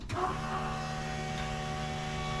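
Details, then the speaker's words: 1969 Camaro after a return-style fuel system upgrade, fuel pressure set to about 6–6.5: pump switches on with a short thump, then holds a steady low electric hum at even pitch; running normally and fairly quiet. "actually the pump's not that loud I'll come back here and check it out it's not too bad"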